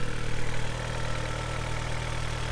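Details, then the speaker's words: Engine just started cold, at elevated cold-start revs: steady fast idle with a faint light rattle, piston slap, expected to be louder once it drops to normal idle. "so the cars on cold tires you just see just literally started up and if you listen carefully you can hear the slight rattle that I'm talking about that's piston slap"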